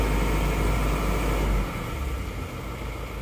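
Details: Isuzu Panther diesel after fitting new parts instead of re-linering, just started from cold: deep rumble easing after about a second and a half into a steady, even idle. Running fine, normal cold idle.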